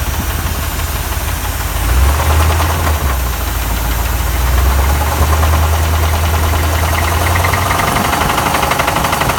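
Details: 1979 Mustang Ghia 5.0 V8, stored three years, at idle: uneven tapping knock about three per second over a lumpy idle; definite engine knock, cause not yet found.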